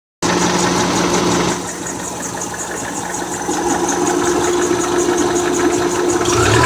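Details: Subaru 2.5 engine idling with a sudden steady metallic ticking, about four a second, not piston slap. It stops while the transmission shifts and returns in gear; the owner thinks something came loose.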